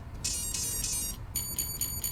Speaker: Hear that 4 beeps, we'll let go. That's going to set our 0.